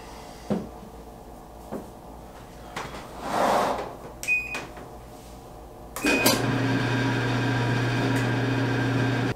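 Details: Dryer after a temporary fix for squeaking caused by a bad bushing in the belt tensioner idler pulley: clicks, two short beeps, then it runs with an even hum and no squeak.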